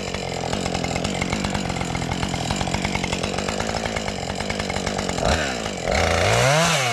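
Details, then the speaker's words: Husqvarna 550XP chainsaw after sitting about 6 months, run until empty while cutting a box elder limb: even two-stroke buzz through the cut, clean rev-up when the chain frees, no bogging; runs healthy. "Alright, I'm going to run her until she runs out of fuel, and then that'll probably be the end of the video."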